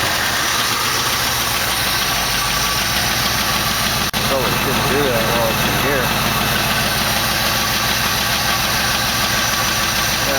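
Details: 1968 AMC AMX with Motorcraft carburetor just got working: fast light ticking, about two clicks a second, sharp over the steady idle hum; noisy lifter.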